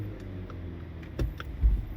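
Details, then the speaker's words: Front-wheel-drive car with 9-speed 948TE transmission, no codes, shifts fine: quiet idle rumble, then a heavy thump on dropping into gear at a stop and another soon after; clunk on gear engagement, mechanic suspects engine support or motor mount. "that big bump yes guys this whole car vibrates when you throw it in gear wow now see i'm slightly on the gas i'm in neutral let me throw it in dry yeah big old bang"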